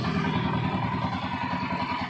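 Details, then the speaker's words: 2008 TMX155 CDI motorcycle after rebuild with original parts (bearing, conrod, timing): single idles with even regular thumps about ten a second, no clatter or grinding; previous saw-like internal knocking gone, healthy. "okay guys Yan po napakagandang andar nawala na po ung yung kalino sa loob Yung may parang lagare pumupukpok"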